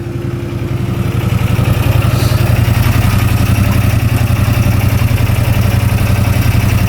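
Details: 2016 CFmoto Zforce 800cc UTV after repairs, warm at idle with cooling fan on and temperature under halfway: steady even low idle beat with fan whirring; normal idle.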